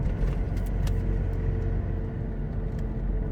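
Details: Suzuki Caribian on four fairly new aggressive off-road "takhap" tires, towed behind a two-year-old Toyota Revo at about 70 km/h, recorded from the cab: a deep, steady road rumble coming from behind; the tires are noticeably loud.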